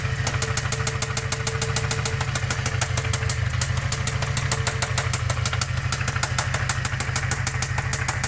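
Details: Toyota 22RE four-cylinder at idle: steady sharp top-end tapping about three times a second, appearing after the valve cover was refitted; cause suspected, not confirmed.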